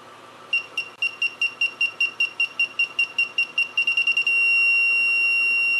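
High chirps repeat about two and a half per second, quicken, then merge into one steady tone as the obstacle nears: sensors working.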